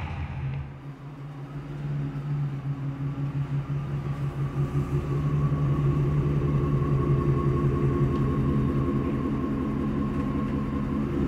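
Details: Ford/Mercury 4.6 V8 Grand Marquis, misfiring since a water crossing: pulls away with an uneven, lumpy beat, clearly down a cylinder from a failed ignition coil.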